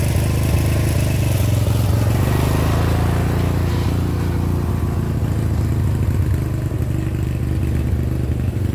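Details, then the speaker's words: 30-year-old Murray riding mower, 13.5 hp Briggs & Stratton overhead-valve engine, after repair of spitting and backfiring: even steady low drone with no pops or bangs while riding; slight backfire remains at low idle, carburetor adjustment planned. "so and that my friends is how you do it no backfiring"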